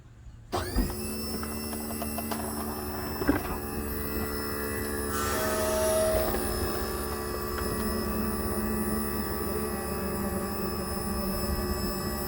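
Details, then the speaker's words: 2004 Country Coach HWH slide opening in daytime after Scotchgard and lubricating bearings: motor spins up to an even, steady hum with no binding, clunks or scraping; nice and smooth. "oh nice and smooth like it like it"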